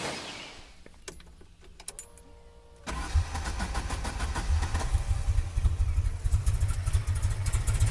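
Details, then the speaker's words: Opel GT with new Weber 40 DCOE carburettor on straight manifold, 30 mm chokes, idle screws about 3 turns out: weak turnover and hesitation, then rough lumpy idle; engine flooded on start. "Flooded it, so it's not looking good."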